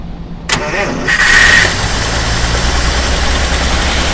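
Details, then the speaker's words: Original unmodified 6-volt 1951 Pontiac, outside since 7:30 am, cold start with original carburettor and automatic choke, linkage setting fast idle: brief cranking, catches within about a second, settles into steady fast idle; healthy cold start. "Lorsque le véhicule sera mis en route, un passage au vacuum tire sur un piston pour ouvrir légèrement le papillon pour éviter que le moteur, bien entendu, étouffe."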